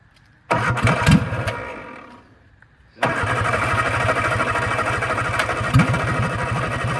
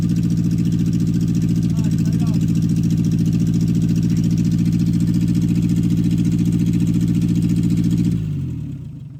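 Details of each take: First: 1964 MG Midget Mk II started with a little gas and choke after sitting outdoors 30 years: cranks and catches into an uneven, lumpy idle with stumbles; running rough, carbs need cleaning, pistons/plungers stuck. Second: 1964 MG Midget Mk II after 30 years sitting, about 38 psi oil pressure before revving: even, steady exhaust pulses at smooth idle, no knocks or misses, then clean shutdown; started easily, carbs still gummy.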